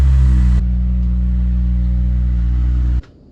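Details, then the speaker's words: Acura RSX Type S exhaust, loud at higher RPM though fine at idle: deep booming rumble holds loud under revs then cuts off sharply; a Vibrant 3-inch resonator is to be welded in to quieten the note. "I'll say it sounds good right now, but like right when you get some RPM in it, It's like so we have a resonator. We're gonna try and weld that in, and then hopefully that changes the exhaust note."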